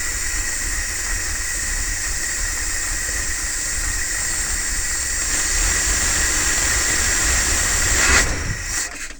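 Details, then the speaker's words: Carbureted engine with freshly changed oil, new breather filter, cold start after about 24 hours sitting, rainy day: loud rushing roar with faint high whistle, catches and runs evenly from cold; normal cold start. "Will it start? 25 hours since it's last started. I mean 24 hours since it's last started."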